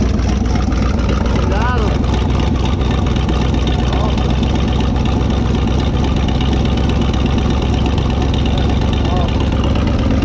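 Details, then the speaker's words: Revived old car engine started after sitting, with oil put in the cylinders and Marvel added: a steady low rumble with even firing and no knocks or misses, while burning off oil smoke. Normal running. "she did fire up she's sounding good she's uh burning off something to smoke from the oil i put down in the cylinders to keep it lubed up and everything"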